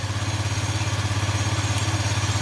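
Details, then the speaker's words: Scooter that had been sputtering and dying, running about 15 minutes after the owner tightened a loose side screw he suspects is the air adjustment; he also recently changed the transmission rollers (11 g): steady, even idle that no longer drops. "k yung Menor niya pero yung Menor niya hindi [Musika] bumababa goods na siguro to goods"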